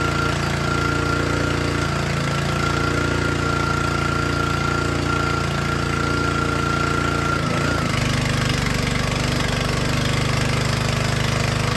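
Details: Troy-Bilt log splitter, small Honda engine driving the hydraulic pump, run about five minutes under load to check for leaks: a steady, even drone that sags briefly as load comes on, then recovers cleanly. Runs normally.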